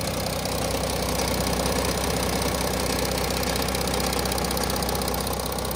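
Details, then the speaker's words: Audi A6 C8, third-generation 3.0 TDI diesel, idle before repair: rough metallic rattle and ticking two to three a second, from a loose timing chain and worn camshaft sprockets; dealer had called it normal. "the engine is making bit of rattling noise what you seen on the previous video the chain is a bit loose so it's a combined sound from the engine from the chain and the worn out come shot sprockets"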